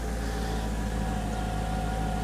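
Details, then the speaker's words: 2005 Mercedes-Benz C55 AMG M113 V8, 142,000 miles, after valve stem seal replacement for smoking exhaust, heard at tailpipe: smooth, even low rumble with no misses, knocks or ticks, runs cleaner already, no check engine light; normal idle. "sounds nice and smooth no noises just going to let it run for a few minutes and burn off all the oil around it"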